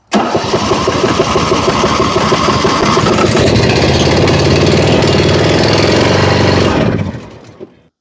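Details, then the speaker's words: John Deere Z225 zero-turn with a Nikki carb, blown head gasket and bad gas: the small single-cylinder engine catches, runs a rough, uneven beat on choke, then dies as soon as the choke is eased off. "As soon as I ease it off choke, it dies."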